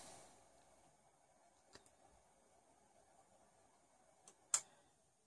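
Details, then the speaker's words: PS4 reboot after forcing the 4.50 firmware update to fix error E-FFFFFFFB, with the drive ribbon cable popped: in a quiet room, soft isolated clicks come a second or two apart, then louder ones, as the lights go out and return blue; normal reboot clicking. "and machine as you can hear clicks as you will reboot in a sec so the lights all go out blue light comes back up"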